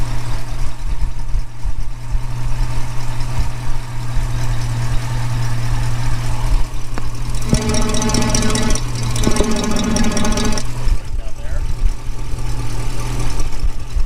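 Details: 1965 Mustang convertible, refreshed 289 with AOD conversion, after a Hurst crossmember install, listened with a tube on the exhaust manifold: deep idle with a sharp puffing chuff; exhaust manifold leak, donut suspected worked loose, then tightened.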